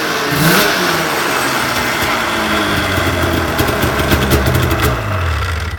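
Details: Snowmobile engine after a drive-belt change: starts and revs up cleanly, then settles and drops back smoothly with no slipping or squealing. The belt is on the right way with correct slack; normal running.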